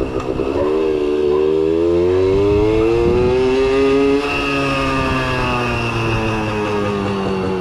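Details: Kawasaki KS II-50 two-stroke, after carburetor service and tank cleaning, with oil mixed into the fuel because the automatic oil pump is in doubt; crisp note climbs smoothly then holds steady high revs without stumbling or bogging.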